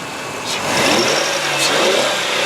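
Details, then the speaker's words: 2002 Ford Taurus SES, 3.0 L V6, revved in place: revs up smoothly and settles evenly, only a faint belt squeak after belt dressing was applied; engine runs well, normal revving. "yes indeed it does run good"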